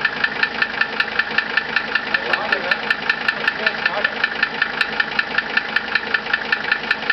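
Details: 1982 Mercedes-Benz 300D Turbo (US) idle ticking, crisp regular about 2.5 per second; injection pump timed, injectors rebuilt, valves adjusted (0.10 mm intake, 0.35 mm exhaust), chain stretched two degrees; chain tensioner suspected, unconfirmed.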